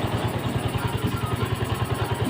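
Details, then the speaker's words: Yamaha Vega Force FI that sat unused and would not start (then misfired), after cleaning and refitting the fuel injector and throttle body: steady, evenly spaced low single-cylinder thumps about eight per second, no misses; running well. "so umaandar na siya ngayon then maganda na yung andar niya mga boss Ayan maganda na yung andar niya mga"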